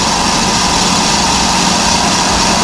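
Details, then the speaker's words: Electric trailer brake drum being resurfaced on a brake lathe, cutting the rusty braking surface; constant, even cutter hiss with no rhythmic chatter or pulsing: drum turning true, smooth even cut. "so I know it's turning true because you can hear it you can hear it going nice and true"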